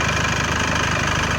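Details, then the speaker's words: 2004 Mercedes Sprinter 2.2 CDI diesel at idle with clutch and gearbox off, flywheel on engine, during dual mass flywheel and clutch job for rattle underneath: steady, slightly clattery idle, even low thrum, no irregular knocks; still noisy but no longer hollow — normal diesel idle. "It is noisy, but the noise is not so empty as it was before."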